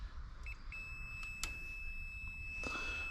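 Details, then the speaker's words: Marketplace diesel generator with no output, multimeter check of rotor/stator isolation: steady high continuity beep without a break, showing a connection to ground that shouldn't exist. "so basically got a connection to ground which we shouldn't have"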